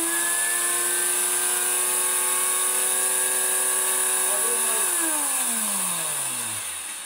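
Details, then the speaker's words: Miele Complete C2 Cat and Dog PowerLine vacuum that sucked up water, reassembled after motor disassembly: a high motor whine with a rough edge, pitch sliding down as it winds off. It runs worse than before, with the part not seated right; bearing suspect. "my fears have been realized just taking these flipping things apart makes some run worse than they are that that now smells bubbly as well"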